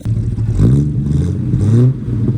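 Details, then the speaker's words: 1972 Chevrolet Constantia (Holden), earlier popping and banging; after swapping the firing order, thought to be wrong since the distributor was replaced, a steady drone pulls evenly through the revs with no pops: smooth running on the test drive. "so we've swapped around the firing order um I don't hear the pops some bangs anymore hopefully be okay"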